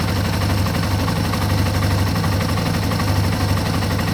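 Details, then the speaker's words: 2005 Yamaha TW200 single after valve adjustment and exhaust repair, owner had noticed a changed exhaust tone: deep, even thumping at a low steady idle, no misses or stumbles; a healthy idle. "Alright guys, I'll do another little walk around when I get the tire on there, but she's all back together in perfect health and ready for a trip."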